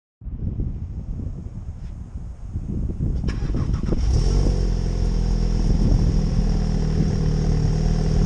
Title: MK7 Golf GTI PP first start after exhaust silencer / resonator delete